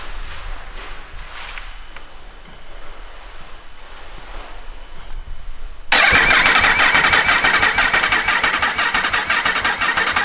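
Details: Yamaha R1 race-bike rebuild, cranked again after checking oil at about half the sight glass, still with no tank or upper injectors: the starter spins steadily with even compression pulses about twice a second and no firing, priming oil pressure.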